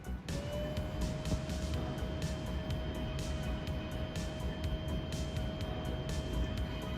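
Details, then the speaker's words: Original Xbox after replacing main cooling fan whose bearings were shot; new fan spins up to a steady, even mid-pitched hum with no rattle or scraping; pretty quiet, normal running. "That sounds pretty quiet. I'm going to get my mic actually. That is pretty quiet, isn't it?"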